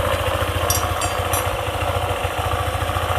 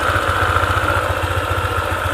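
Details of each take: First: Honda ADV 150 scooter, idling after a CVT part was re-lubricated as a temporary fix: even, quick putter with steady low beat, earlier clicking from the CVT gone; it may return once the lubricant wears off, and replacing the part is advised. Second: Honda ADV 150 scooter (about 2020), CVT area: fast, even clicking riding on the idle firing beat, appears at idle and disappears when throttle is applied; worn CVT bearing.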